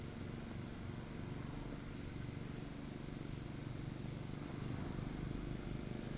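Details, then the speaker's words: c.1897 Knapp Type D electric motor after minor repairs and cleaning, running with a makeshift brush: steady low hum with soft uneven throb about four times a second from rocking on its broken foot. "Kind of rocking because it's missing part of its original foot. And in fact, if I were to weight this slightly, I would imagine here is my interior growler. I'd imagine it wouldn't make that noise."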